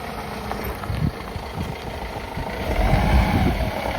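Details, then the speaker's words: Diesel horsebox after a badly leaking intake system was properly repaired, before the EGR valve work: low, slightly uneven rumble that settles and holds steady with no hiss or hunting, sounding much better. Normal idle. "sounding miles better."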